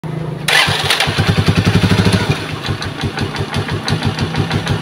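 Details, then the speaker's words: Rusi motorcycle engine overhauled only a week earlier that now leaks, sounds bad and chokes: it starts, then runs an uneven lumpy idle with a sharp puff each firing stroke. Compression is escaping at one spot. "naririnig kong tunog dito mga idol may singaw dito po sa part na ito"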